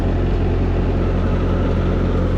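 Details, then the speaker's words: Old tractor warming up: steady, even low rumble with no bangs, clicks or grinding; engine runs very smooth, normal. "Can't believe the engine in this. So, it just runs so smooth. No bangs or clicks"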